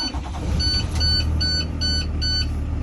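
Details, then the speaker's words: Connecticut school bus during a pre-trip inspection, started in neutral; the engine fires and settles into a smooth, steady idle under a few dash beeps, with no knocking or unusual noises. Normal idle. "that the bus is on, I don't hear any unusual noises coming from the engine."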